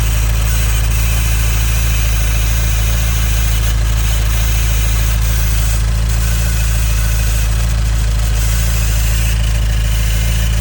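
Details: 2015 Nissan Juke Nismo RS, 112,000 miles: steady idle with a fine hissing, static-like rattle on top, like a vacuum leak though everything is bolted down and it drives well; timing chain suspected, unconfirmed.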